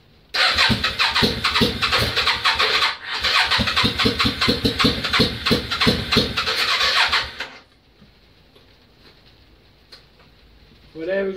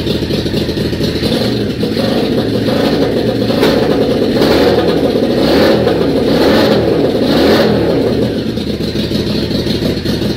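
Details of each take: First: Yamaha Virago XV535, first start in months, on choke: rapid rhythmic cranking about seven seconds with loud chuffing, catches then cuts out to near silence, fuel pump not kicking; engine runs briefly and dies, owner suspects out of fuel. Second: Yamaha Virago XV535, not started for a few months, on a charged battery with the fuel pump primed and a bit of choke: the twin catches and runs lumpy and uneven with a few throttle blips. A normal cold start on choke.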